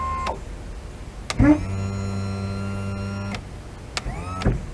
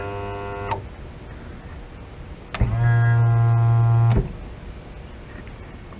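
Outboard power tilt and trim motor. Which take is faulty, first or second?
first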